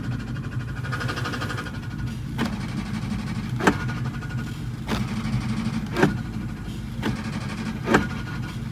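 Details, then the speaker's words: New Edge Mustang with the clutch pedal pressed at a rough idle: grinding rattle with a sharp clack about once a second. The throwout bearing failed on track and the car then sat about two months. "Ah, that does not sound good down there. You can probably hear it rattling on the startup clip."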